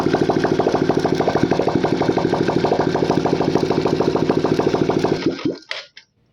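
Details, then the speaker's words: Engine that looks factory-fresh and never opened, with water-like discharge and smoke from the silencer: fast, regular "tak tak" tapping at idle until switch-off. Rocker-gear play is suspected; fixing it cleared about 60% of the noise. Tappet or piston is suspected for the rest. "मेरे को लग रहा है इसका rocker gear है, क्योंकि इतना play नहीं होता, इसी का साउंड हो रहा था एक्चुअल में, टक टक टक टक करके।"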